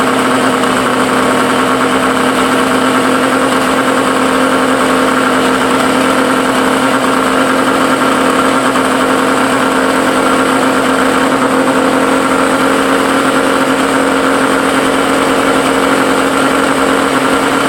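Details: Suzuki SS20 Cervo small engine idling steadily with raspy pulsing puff from an exhaust leak.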